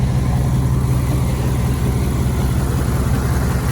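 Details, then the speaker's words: 1998 Dodge Ram after replacing the power steering pump (used) and alternator: a deep, even idle with no high-pitched whine, and the belt drive sounds healthy. The exhaust is broken off at the rear and the manifolds tick slightly. "Oh yeah, sounds so much better."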